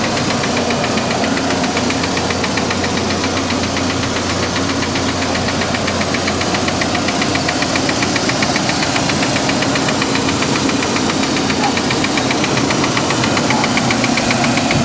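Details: 2003 Chevy S10 2.2 four-cylinder idling with a rough knock at about 150 per minute, starting after new plugs and wires were fitted in correct order; cause unknown.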